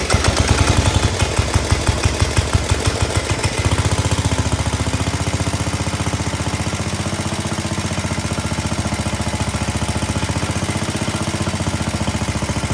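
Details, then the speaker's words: Cub Cadet 72 garden tractor with a 7 horsepower single-cylinder engine, very clean and very low on gas: strong even thumping at about three beats a second, settling into a smooth steady chug; runs quite well. "The 72 seems to run quite well, and actually we're going to fire it here tonight in the video. Love the sound of these cooler 7 horsepower motors."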